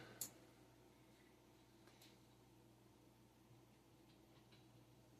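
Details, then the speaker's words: 15-inch CRT monitor right after power-on: a quiet room with a sharp tick, then a few scattered light ticks as the flyback twitches a lot; flyback transformer clicking. "And oh oh flyback is twitching a lot on this one, too."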